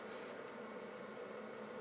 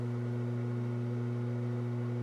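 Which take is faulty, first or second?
first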